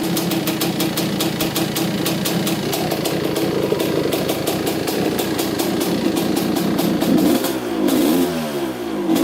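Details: 1985 Honda CR250 two-stroke after carb needle clip moved up to third position: crisp, even popping holds steady, then picks up cleanly on a few throttle blips; running pretty good.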